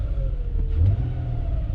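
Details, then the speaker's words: 2009 Nissan Pathfinder SE with 200,000+ miles, after both camshaft position sensors were replaced for codes P0340/P0345. A short, smooth throttle blip, then the rumble settles back to idle with no stumble: normal revving. "Yeah, man, I think she is good to go. Sounds good. Idle coming down."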